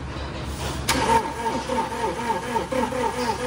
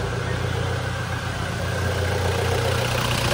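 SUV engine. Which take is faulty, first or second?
first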